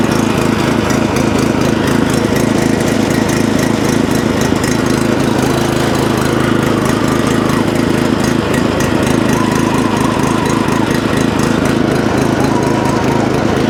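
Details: Previously non-running tiller/rotovator started on choke, tested before purchase; small single-cylinder engine putters at a steady, quick beat without stumbling, holding speed evenly. Running properly now.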